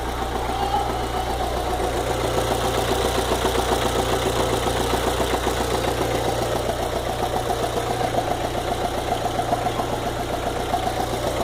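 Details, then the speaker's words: VW Fox 2009/2010 engine at warm idle: light, regular tick about four times a second; the tick disappears when cold and returns when hot. Top-end tap, cause unknown. "Quando tá frio, desaparece. Quando tá quente, ele volta de novo esse barulho. Vejam bem o barulho desse motor. Vejam bem esse tique-tique no motor."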